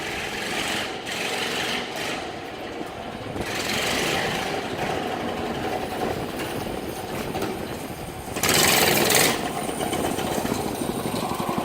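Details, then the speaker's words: Pocket bike after swap to 6.5hp single-cylinder motor, first test run: buzzy single revving up and down under load over rough scrapy background, pulling cleanly with no misses; pulls wheelies, normal running. "It's alive. It works. It pulls wheelies. Oh my. I think I've created a monster here."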